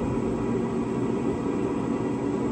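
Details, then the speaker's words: Pit Boss Pro Series 850 grill after replacing the seized auger motor: the auger turns with a steady, even motor hum and no stalling, clicking or straining. "as you can see the Hopper's moving or I should say the augur is moving"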